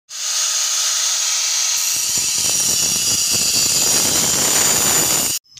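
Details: Angle grinder at speed: high steady hiss with rough crackling after two seconds; the armature is at fault, with a worn commutator under the brushes suspected, fixable with a tool made from a bicycle spoke.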